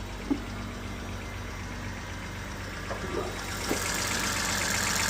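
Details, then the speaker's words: BMW 328i first start after engine swap, vanos exhaust-side wiring suspected faulty: even, steady idle hum settling slightly higher, no knocking or ticking; engine running smooth, earlier noise gone. "Engine is running smooth. As you can see, everything is back together."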